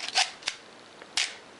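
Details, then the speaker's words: Canon AE-1 Program 35mm SLR with 50mm FD f/1.8 lens, untouched as found, on bulb setting: crisp shutter click on pressing, another clean snap when the button is released; shutter working normally. "it will release when I let up on the button. So that all works."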